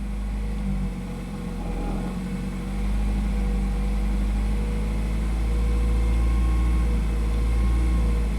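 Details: 2008 Nissan Versa with a seized A/C compressor and the belt off, exhaust rusted off before the muffler, revved with the throttle held steady: the engine drone swells and eases over seconds, surging with the cause unclear.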